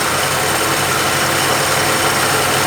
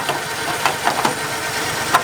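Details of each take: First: 1950 Plymouth, long sitting, fed gas by pouring, idling at 620 rpm: low idle with an uneven chuff and occasional dropped beats; possibly missing. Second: 1950 Plymouth, started only every year or two, after new Econoline plug wires fixed a problem: low, steady, even idle with a few light clicks. A humming is heard, and the water pump or generator is suspected.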